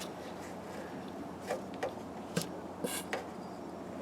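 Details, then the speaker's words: Diesel engine running after head bolts were retorqued: sharp hissing spurts from a fitting over a steady rumble as compression escapes past a leaking pre-cup seal. Almost all compression is lost, so the head must come off. "if fire it up and we'll see if we got any uh compression leak sure do you hear it just hissing out of that fitting listen to"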